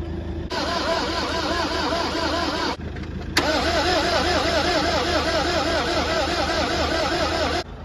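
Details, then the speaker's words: Bedford lorry at truck museum, non-starter: after charging the battery it cranks sluggishly and unevenly in two bursts, about three to four turns a second, never catches; no fuel coming out of the pump. "no just tried it again just tried it with the injectors tried to put some Go Go Juice down there nothing it's like it's not turning over it's turning over but not very"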